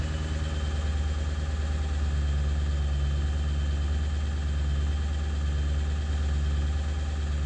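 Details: 7.3 diesel at idle after ICP sensor replacement, still not running great: deep clatter with an uneven, lumpy beat that keeps wandering; rough idle, cause not yet pinned down.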